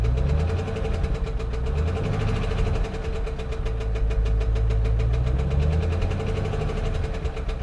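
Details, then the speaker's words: 2011 Chevy Camaro SS salvage-auction car, long sitting: deep heavy knocking at idle that hardens on a light throttle blip; rod knock rather than the hoped-for lifter, needs an engine. "that's a rod knock damn alright alright well honestly guys I was hoping that maybe it was a lifter I was really hoping maybe it was a lifter"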